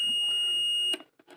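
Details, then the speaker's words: Ahuja 250 W mic-set amplifier under service: multimeter set to continuity buzzer on a transistor; a clean steady high beep lasts about a second then cuts off, showing a conducting junction, while other test points give no beep. "Multimeter எடுத்து பசரில் வச்சுக்கணும். வைக்கும்போது இது மாதிரி ஒரு பசர் sound வரும்."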